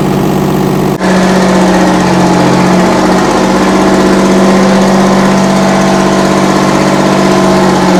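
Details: 60-year-old US-imported Massey Ferguson 98 tractor with factory Detroit Diesel GM 3-71 two-stroke, after significant restoration: sharp start, then steady buzzy drone with constant hum settling into an even run; normal running.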